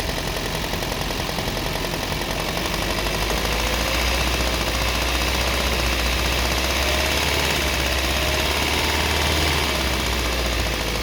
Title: Стук в двигателе, Приус 20. Причины?